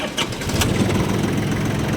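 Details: Yanmar FX18D mini tractor diesel, Japanese auction import with no use in Russia, 956 hours, started with the clutch pressed: short crank, fires right away and settles into a steady, even idle with no stray knocks. Normal engine start.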